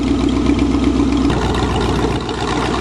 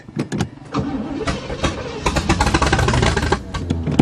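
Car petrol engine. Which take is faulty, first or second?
second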